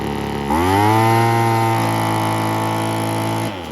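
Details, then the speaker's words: Revived 1980s/90s McCulloch two-stroke gas leaf blower, non-running and probably sat outside a long time; carb rebuilt (Zama kit), new filters, fuel line kink fixed. Sharp buzzy chainsaw-like note revs up and holds steady about three seconds, burning off oil; normal running. "all right it looks like a lot of oil and stuff's got to burn off of that it's probably been sitting outside for a long time but yeah almost sounds like a chainsaw it's pretty cool"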